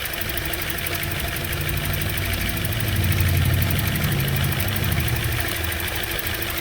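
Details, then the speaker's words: 2011 Toyota Corolla with flashing check engine light and code P0353: petrol engine idles with an uneven, lumpy rumble and shaking from a misfire caused by a dead cylinder-two ignition coil, confirmed by swapping coils. "i don't know if you can see how rough it's running just unplug the connector see how much just shaking now it's shaking worse because cylinder three is actually working"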